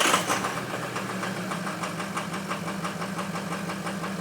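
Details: Ford F350 cold start after a high-30s°F night: cold idle with a loud, regular clatter about five times a second. Rough running from two bad injectors.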